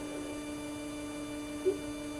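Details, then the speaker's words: Anycubic Wash&Cure station, spin motor running without the wash tank as requested by support: steady, even hum with no rattle, wobble or grinding; motor itself normal, vibration appears only with the water-filled tank fitted. "i don't have a a reference since this is the first cleaning station i've had from them but the motor sounds fine um just seems to be the problem when i put the uh the tank on it and um it's got water in it"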